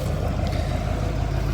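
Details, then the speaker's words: 2014 Chevy 2500 Duramax with the EGR system deleted: rough, lumpy idle with heavy smoke, won't accelerate, and no check engine light. The EGR valve was still plugged in; unplugging it stopped the smoke and restored acceleration. "Not wanting to idle. I'm actually giving it fuel. Not really wanting to go that good."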